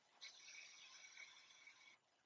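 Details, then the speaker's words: 1998 Chevy C3500HD, 7.4 L 454 Vortec L29, engine off, fuel pump relay bypassed, listened under the hood: a soft steady hiss for about two seconds like fuel trickling; injector suspected stuck open, truck running rich. "you're not supposed to hear like some pipes like someone is peeing inside of your engine so let's check it out put it on again like somebody's peeing inside the truck"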